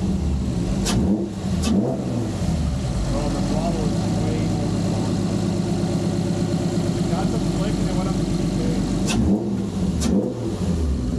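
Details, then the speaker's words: G35 (VQ) on ramps after a new throttle body and GT-R injectors, with no fault codes. Crisp revs that climb and fall evenly, with loud intake roar over the exhaust; healthy revving. "you should hear the [ __ ] intake right now all right we should be good the intake sounds crazy"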